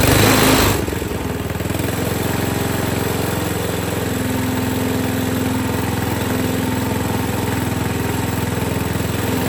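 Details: 8 hp Tecumseh engine on a pavement roller, just fitted with a new replacement carburetor because the original was varnished; it catches after a couple of seconds and settles into a steady, even chugging idle with no misses.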